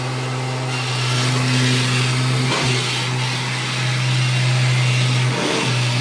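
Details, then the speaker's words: Upright vacuum in drive mode: the tech drive self-propel motor gives a loud, steady low hum as it pushes the machine back and forth, easing briefly at each change of direction. This is normal, though louder than the quiet drive on the first model. "So that the noise you can hear is the motor of the tech drive pushing it back and forth. Yeah. Which is, it's kind of loud."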